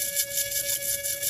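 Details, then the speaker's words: 2009 Ford Escape Hybrid with engine off: the electric coolant pump hums steadily under a loud fluttering hiss as antifreeze sprays from a fitting with no hose connected, missed by the previous mechanic. "so it's just leaking antifreeze this electric coolant pump the max pump you can hear on is pumping antifreeze"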